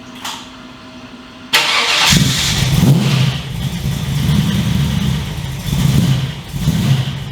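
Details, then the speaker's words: 355 stroker V8 in HX one-tonner, first run in about 11 years since dyno, aftermarket exhaust, shotgun mic walk-around: deep, lumpy, steady idle with throaty burble, loud but not obnoxious growl, no knocks or misses; healthy idle. "I'm really happy with that sound. It's loud, but it's not over the top obnoxious loud. It's got a nice growl to it."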